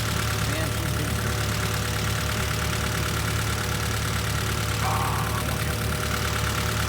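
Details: Honda Civic idling with the PCV valve line pulled off: lumpy, unsteady idle, about three pulses a second; rough idle from a vacuum leak.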